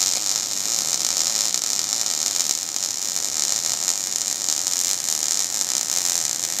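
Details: MIG (gas metal arc, GMAW) welding: a steady, even high-pitched sizzling hiss without breaks or popping, a stable, well-set arc.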